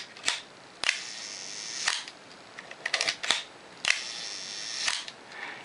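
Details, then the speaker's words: Early Pentax K1000 film camera, lens off, possibly serviced before: several crisp evenly timed shutter and mirror snaps, no drag or hesitation; shutter sounds good and healthy. "Sounds good and healthy."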